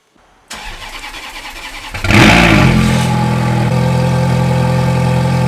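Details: V8 supercar started during winter lay-up to keep everything moving, cold start: starter cranks, engine catches with sharp flare, then settles to even, steady high idle with no ticks or knocks; healthy start.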